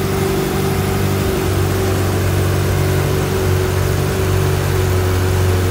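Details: 1995 Ferrari F355 GTB with gated manual and about 23,369 miles, idling cold after a cold start without warm-up: a smooth, even V8 idle with a steady low exhaust burble and no knocks or misses, a healthy cold idle.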